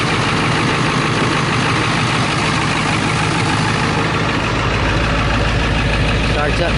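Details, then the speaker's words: 2000 Ford F350 7.3 Power Stroke diesel near 500,000 miles, cold start in upper-20s °F with no glow plug relay fitted: deep, steady clatter at cold idle, firing evenly without misses or knocks; healthy. "it's obviously cold upper 20s I think yeah again I haven't put a glow plug relay in this thing yeah so we'll just do it this way that sounds healthy right"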